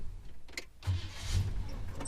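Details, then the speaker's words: Holden HK Premier wagon V8 after swapping a wrongly fitted high-torque starter (thought to suit a 304) back to an original V8 starter: a short, deep, clean crank that quickly fires into a low rumble, with no more squealing; normal starter cranking and start. "That sounds absolutely wonderful. I'm so happy with that job."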